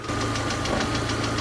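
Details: VAZ 2112 at warm idle at operating temperature: steady beat with regular stumbles, several per second, as a cylinder loses spark; misfire caused by a failing ignition module with below-spec resistance.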